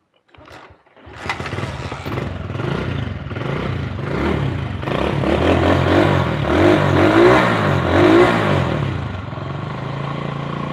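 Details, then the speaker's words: Honda Win 100cc single after engine rebuild and workshop repair: starts and revs with a steady beat and only light mechanical clatter left; not very rough any more, though not perfectly smooth. "suara mesinnya udah kita coba semaksimal mungkin. Dengan kondisi mesin yang seperti ini sudah nggak terlalu gemblodok ya teman-teman, nggak terlalu ya, dibilang halus banget ya enggak, Honda Win lah."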